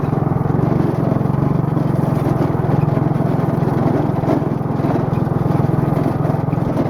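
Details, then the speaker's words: Go-kart, warm, after new valve stem, driving on road: loud buzzing single-cylinder drone with rough rapid throb; owner says the axle can be heard vibrating a lot. "well I drove real good although you can definitely hear that axle vibrating a ton"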